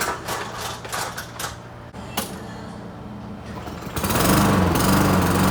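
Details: Lawn mower starting after a repair, with hoses, clamps and leaks checked: loose clattering and knocks, then the engine catches at four seconds and settles into a steady, even buzzing run with no misfire.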